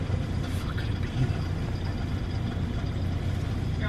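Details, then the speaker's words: Detached muffler on a car (fell off twice) gives a deep, blatty, unmuffled rumble at idle; loud exhaust from the missing muffler. "basically it's that my muffler fell off twice and then it started making this really really weird noise"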